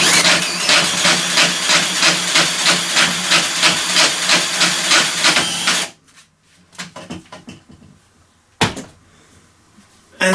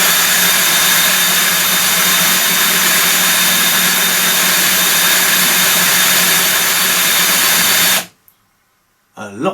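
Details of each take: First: Stihl 145° pole trimmer head (700mm) driven clockwise by a drill at maximum speed on the shaft; rapid, even clatter about three times a second that stops with the drive, caused by worn gear teeth (cog) under the cover: worn gear teeth. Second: Stihl 145° 700mm pole trimmer gear head, after strip-down and rebuild (blades had been noisy), driven clockwise by a portable drill: steady high-pitched spin, even tone, no grinding or clatter, much quieter and smoother; normal gear head running.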